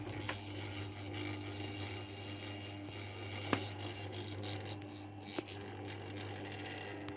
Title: Rattling and buzzing noise my okayama OK1230 stand fan